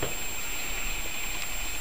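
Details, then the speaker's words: Reference AMD R9 290X graphics card at 94-95°C under benchmark load, throttled from 1 GHz to 980 MHz, in an open PC: loud, steady rushing whoosh with a thin high whistle as the blower fan spins hard. "donc vous pouvez constater le bruit énorme de la carte donc sur l'écran vous allez voir on est 94 95 degrés"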